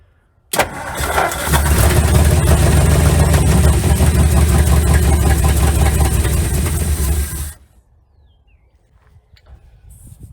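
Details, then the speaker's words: 1956 Ford Customline V8 292 Thunderbird engine, Holley four-barrel carburetor, unused since 1971, fed by electric fuel pump from portable tank; starter cranks steadily about seven seconds without catching; owner suspects flooding or a filling float bowl; cranks but won't start. "well we either flooded it or filled up the float bowl so let's find out"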